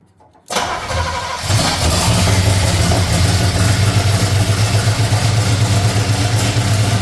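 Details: C30 truck engine fitted with ignition parts taken from another truck, run on carburetor bowls filled by hand; cranks and catches within a second, then settles into a steady, even low idle with no misses or knocks.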